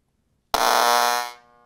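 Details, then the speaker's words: HVAC electrical training board, general purpose relay and sequencer fed 24 volts: loud steady fixed-pitch buzz cutting in then dropping away as the relay chatters; voltage reads 0 then 26–28 V, likely an intermittent bad connection. "so you can see that something just happened right now so it looks like a intermittent problem maybe a bad connection right here"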